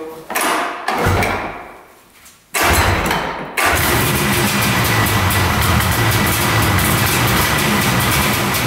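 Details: Arctic Cat Panther 440cc vintage two-stroke snowmobile, after repairing a broken hidden coil wire: two rope pulls, then it catches on choke and settles into a steady, crisp two-stroke buzz; starts and runs normally.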